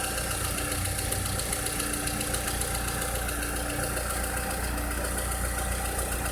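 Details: 2006-2007 VW SpaceFox engine with a strange noise: steady idle with a fast light tapping, roughly four per second, over the engine hum; abnormal idle noise, source unknown.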